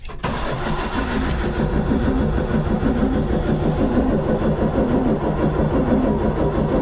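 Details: 1975 Chevy squarebody stepside, Isuzu 6BB1 six-cylinder diesel during injector line bleeding, some lines giving fuel, others none: slightly uneven cranking about three per second for seven seconds, no firing; air remains in injector lines.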